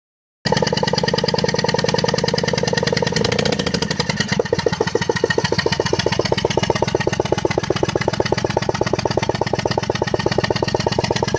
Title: ertiga bs6 engine misfire